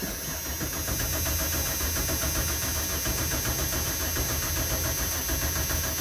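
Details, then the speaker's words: 1995 Ford F-250 4x4 plow truck, last on the road in 2016, cranks steadily at about three and a half turns a second but never catches, even with ether; ignition problem, no spark. "no okay we have an ignition problem the diagnose a 95 F-350 with no spark"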